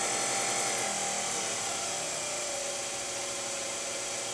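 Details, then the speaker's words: Low-pressure diaphragm misting pump motor turned back down to 80 volts: steady high whirring hum with a quick, even flutter, smooth and unstrained; normal reduced-speed running. "again we're back at 80 volts and you can see if i turn it down lower the pressure will actually start to go go down because it can't keep up with the flow of the nozzle"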